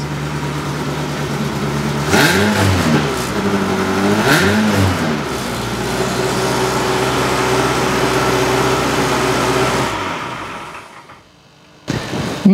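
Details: Ferrari-engined Alfa Romeo 105 build after fixing crank signal wiring: two sharp revs then smooth even idle with exhaust valves closed, muffled and much quieter; runs clean, cam angle sensors still missing.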